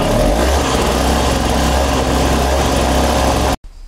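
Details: Snowblower with small two-cycle Tecumseh engine, which had stopped and wouldn't restart and whose starter rope broke, test run: buzzes at a steady even speed, then cuts out sharply at switch-off; runs cleanly and the kill switch works.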